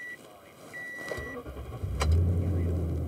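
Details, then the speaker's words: 2014 Toyota Tundra 5.7 with long-crank hard start (fuel alcohol content calculation error), after TSB PCM software update: about one second crank, catches quickly and settles to steady idle; normal start. "so key on I should probably make sure that it still starts and runs"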